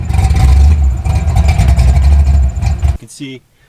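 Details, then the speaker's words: Fox body Ford Mustang V8 with new ECU: deep heavy rumble surging and wavering unevenly, slight misfiring, running poorly and erratically, heavy eye-burning smoke; owner swapping two ECUs to diagnose. "The new ECU's got great power, but it's very erratic. I'm going to fire it up now so you guys can have a listen to it. Sounds cool. It ain't right."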